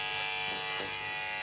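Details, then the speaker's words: Marshall JMP-50 (2204) valve amp at high preamp and master volume after grounding repairs: loud steady bright buzz with no pitch change, coming from the guitar pickups, not the amp. "you can hear all the buzz now but that's from the guitar"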